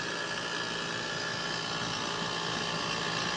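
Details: Trane 5-ton R410A AC unit made 09/2020, original 70/7.5 µF capacitor; compressor previously wouldn't start (only fan), now running with hard start kit installed, cooling. Steady even hum, fan rush, faint high tone, slightly loud but expected to quiet.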